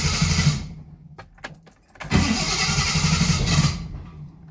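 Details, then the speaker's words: Triumph 2000 with twin carbs, one carb isolated for testing: engine catches briefly and runs only in uneven bursts, getting fuel only on choke; owner suspects a blocked jet in the carb. "Okay, so I only got petrol with choke. Right. Interesting. So probably the jet inside is blocked."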